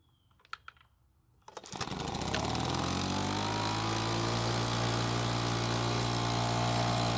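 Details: Makita small four-stroke leaf blower, cold start: pull-start catches and settles into a steady, even high-pitched buzz as it warms; a bit cold natured but runs well once at normal temperature.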